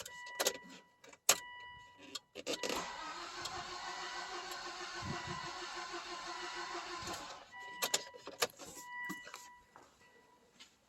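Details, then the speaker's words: 2005 Volvo XC70 crank-no-start with cam/crank timing correlation codes, checked with an in-cylinder pressure transducer: the starter turns the engine evenly for about four seconds with steady compression pulses, but it never catches, because the timing belt has jumped and nothing is in sync. "all right so my timing has jumped it clearly has jumped uh nothing is in sync"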